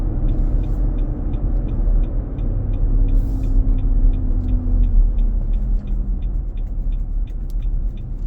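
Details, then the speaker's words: 2023 Nissan Armada, about 4k miles, hot weather (~95F cabin): deep steady roar under road noise while driving, returning after stops and with accelerator, fading near 45 mph; power feels drained. "We'll stop at the turn signal and start. I can hear the sound coming back up. Pressing my accelerator and the sound keeps coming."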